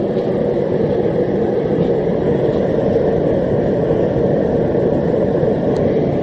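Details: Homemade gas forge on its first test run, with a drilled-out MIG tip burner (about 1.1) and a 30 lb regulator at about half: a steady, even roar with no sputter or pulsing. The burner runs cleanly.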